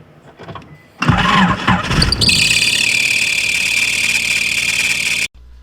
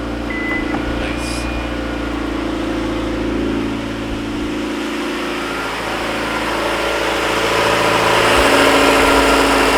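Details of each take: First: Car engine with swapped motor cranks and catches, then loud steady high squeal from the alternator belt at idle; loosening tension did not cure it. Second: Petrol car engine after a motor swap, idling steadily with an even hum and no belt squeal. The alternator belt had squealed because it sat on the wrong set of pulley teeth, possibly the wrong crank pulley.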